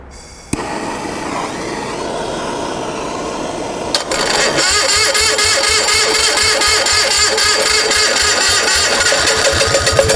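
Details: Onan MDJE diesel generator started on a warm day after battery charging, with torch assist: catches and settles into regular even clatter about four beats a second, no stumbling; not yet at rated speed.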